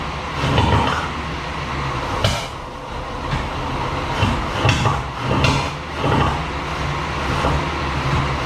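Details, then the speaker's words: 1937 Chevy barn find: rough, stumbling run with sharp lean pops every second or so backfiring through the carburetor, caused by plug wires out of firing order. "So we were able to putt-putt around the parking lot, but it was running terrible. It was lean pop, like backfiring through the carburetor."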